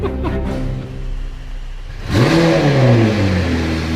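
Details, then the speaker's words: Rebuilt crash-damaged McLaren 720S, first start with temporary oil-leak fix: starter catches on the first try, a sharp rev flare, then revs drop smoothly into a steady idle; clean, healthy start. "It sounds mint. It sounds wicked. It sounds well good."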